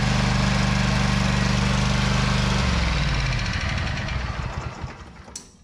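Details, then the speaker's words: Walker mower after replacing stator destroyed by magnet shrapnel; steady, even engine beat about two and a half seconds, then smooth coast to stop; now charging, stator was the problem; normal running. "Done charging. That was the problem."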